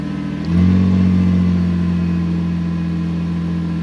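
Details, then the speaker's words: Ford Contour cold start after battery replacement, not run in a while, key cycled first to repressurize fuel; engine catches, flares briefly, then settles to a steady even idle with no knocks or misses; normal. "okay so we're going to start it up this has been cold and hasn't been run in a while"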